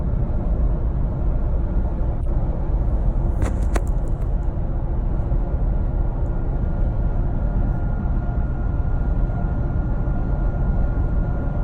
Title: Whining noise 20 seconds in